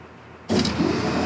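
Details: 1994 Camaro with a supercharged Cadillac LSA: the fuel pump suddenly kicks in with a steady electric hum and hiss. The fault was corroded fuse panel connections caused by cat urine, and the pump now runs normally.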